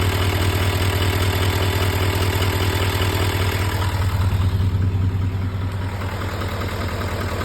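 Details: GM L5P Duramax diesel at idle: a fast, even tick, about two or three per second, rides on top of the steady idle; the ticking source is not pinned down.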